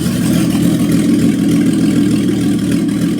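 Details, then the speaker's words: 1990 BMW 535i M30B35 inline-six, first start after an engine rebuild, no exhaust fitted yet: smooth, even idle with a steady low drone and no knocks, ticks or misses. A healthy, normal idle. "runs mint mint. Literally runs perfect. Another happy M30."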